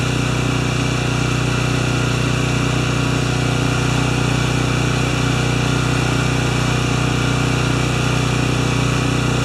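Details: Makita G2400R generator with a non-OEM replacement carburetor, powering a saw during a load test, saw drawing about 5.7 A unloaded and 13 A when triggered; constant drone with a strong, regular beat holding speed without hunting or sagging; normal running under load.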